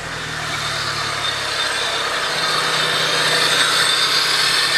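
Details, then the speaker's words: Honda EG hatch just started while waiting for coolant to circulate, expected to idle a little funny: loud hissing rush of air over a low idle, intake roar dominating. Loud intake noise, cause not pinned down. "you can hear how loud the intake just"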